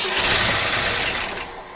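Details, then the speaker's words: Long-parked 1974 Ford F100 cranked by a button at the starter solenoid with starting fluid: a brief, ragged sputter that fades fast. Ignition system works, but the engine needs fuel in the carburetor. "Well, that's cool. So that means our ignition system is working, and we just need some fuel."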